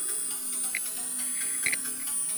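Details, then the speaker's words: MiSTeryNano FPGA Atari ST/STE project audio output: a steady buzz and thin high whine under quiet music; buzzing interference on the sound output that comes and goes. "So, hear it? The buzzing's back. That is absolutely terrible."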